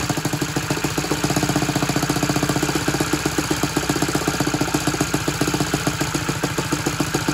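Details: Saito 100 four-stroke nitro glow engine, tuned, at full throttle on thrust test stand with non-recommended propeller: even, crisp pulsing, steady, no misses or surging; a little over seven pounds thrust; normal full-throttle run.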